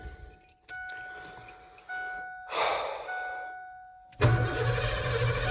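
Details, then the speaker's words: Abandoned 1988 Ford F350 dually with new starter: a few chimes, then a short crank and the engine catches straight away into a steady low rumble; starter and battery good. "Starter और बैटरी निश्चित रूप से अच्छी है"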